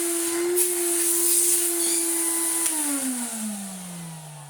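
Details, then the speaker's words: Well-used 1992 Numatic NV200 vacuum, first switch-on, holed filter and no bag: motor spins up to a clean steady whine with no rattle or scrape, winds down smoothly when switched off; healthy motor. "Whoa! He does run well. I was not expecting that at all."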